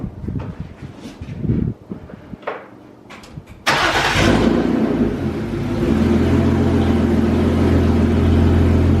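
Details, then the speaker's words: BMW E36 after parts replacement (idle control valve, crankshaft position sensor, throttle body gasket, MAF) and fixing a rigged relay: short clatter, engine catches at once, settles into a loud but steady even idle, now self-sustaining; normal start and idle. "so like i said it's running already so might as well you know i've gone ahead and started up let you guys hear the absolute loudness of it but i got a lot more work to do on it so start up"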